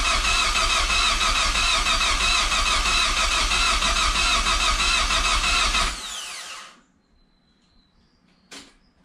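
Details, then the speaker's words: Project Zero 18 first start attempt with Emerald ECU, both fuel pumps running, spark plugs just fitted, 2.5–3 bar oil pressure: even cranking about three beats a second for six seconds, never catches; owner suspects fuel or ignition timing. "i really think it's down to maybe just fuel timing ignition timing or something like that which i'll need to sort out with the emerald ecu"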